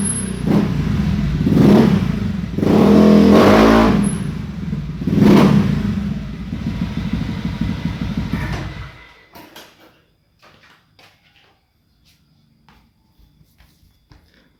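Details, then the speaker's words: Honda Beat new fuel-injected scooter after idle adjustment; four crisp blips drop back cleanly to a steady idle before shutdown. No longer sluggish, normal revving. "kawan-kawan motornya sudah enak sudah Enak pokoknya ini motornya sudah nggak lemot lagi stasionernya sudah bagus"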